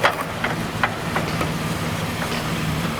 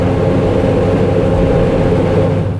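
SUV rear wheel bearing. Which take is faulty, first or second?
second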